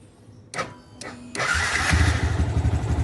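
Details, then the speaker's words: Yamaha Vixion after replacing starter motor carbon brushes and refitting the starter: two short starter bursts, then the engine catches on the third and settles into a steady, even idle; electric start now works. "Oke berhasil Alhamdulillah sudah nyala ya alhamdulillah bisa starternya sudah tidak ada masalah"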